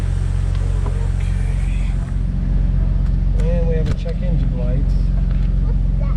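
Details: Engine idle of a 2004 Jeep Wrangler TJ Rubicon 4.0 straight-six at start-up after fitting a fuel rail and injector heat-shield kit, new Bosch 7-hole injectors and new o-rings for heat soak. It settles into a steady, even idle with a smooth low hum, no stumble or ticking; it sounds healthy.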